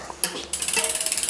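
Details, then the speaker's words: Wheel spun by hand after backing the brake adjuster out about an eighth of a turn: fast, even freehub ticking with no scraping. It spins freely and the earlier slight brake rub is gone. "And that's not rubbing now. That's a nice lever that is."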